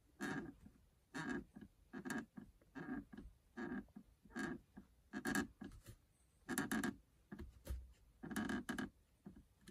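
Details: Subaru Levorg VN5 passenger seat, rear right end; short squeaky creaks about once a second as the seat belt buckle mount stay is rocked side to side, reproducing creaking heard from under the seat when an occupant sways while driving.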